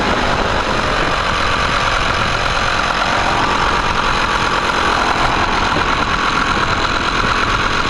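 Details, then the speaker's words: 1999 Nissan 5 hp four-stroke outboard after cleaning the carb jet and needle and backing out the mixture screw: runs steady and even but idles a touch fast; idle screw backed off slightly. "I look a little high back it off slightly"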